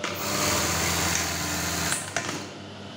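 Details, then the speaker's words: Brother 814 buttonhole sewing machine after adjustment that fixed a loud bang at stop: even, fast chatter, then a soft settle with no hard bang; normal quiet stop. "Hai ini udah lirik udah bunyinya enggak begitu keras"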